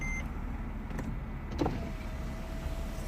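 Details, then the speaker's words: 2003 Mercedes CLK 240 (W209) convertible during roof cycle after repair: light steady electric motor hum about 1.5 seconds as windows close, smooth and even; power windows working normally. "closing the windows that's it worked beautiful"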